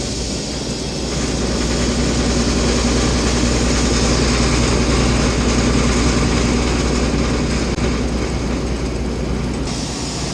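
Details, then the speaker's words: Custom Oliver 50 gravity table for hemp processing, with its vibratory feed hopper switched on while the unit is not bolted down. It gives a steady, even buzz with a low hum and no knocks or rattles, running normally. "to turn on the vibratory Hopper you just hit the on switch fires right up you can hear it"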